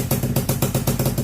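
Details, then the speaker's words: Honda FL250 single-cylinder, ice cold start with fresh fuel and battery: crisp, even exhaust pulses at about eight per second, no misses or knocks; normal cold start idle, running fantastic. "she's alive. Running fantastic."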